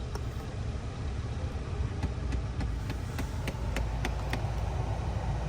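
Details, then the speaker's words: 2016 Kia Sportage idling with air recirculation engaged: sharp, regular clicks about three per second from under the glove box; broken plastic gear teeth in the air blend door actuator are failing to catch. "So you hear this little click, click, click, click, click."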